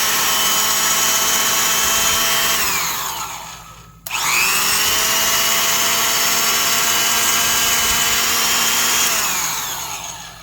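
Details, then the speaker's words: Vintage Black & Decker Super Duty 5/16" D-handle drill, just reassembled with new grease, not yet broken in: steady high whine coasts down, restarts sharply and holds even pitch; normal no-load run. "Anyway, still sounds so nice. After that starts to break in here."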